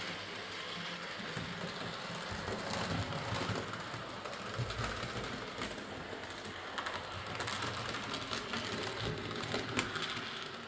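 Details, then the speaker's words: Model steam locomotive, previously massively overoiled, after cleaning, cylinder and valve gear fixes, new drawbar contacts and rerouted wires: an even, fast clatter of wheels and motor with no stalls; it runs fine. "I fitted new contacts in the draw bar, rrooed the wires a bit, and in the end it ran fine. But yeah, a very oily model."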